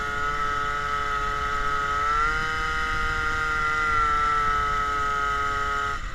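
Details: MBK 51 moped, Malossi G2R 50cc, Dellorto PHBG 19 carb with Ø60 venturi replacing air filter, Giannelli exhaust: steady two-stroke drone with raspy open intake honk; louder with no air filter, mixture seems still lean despite jet up five.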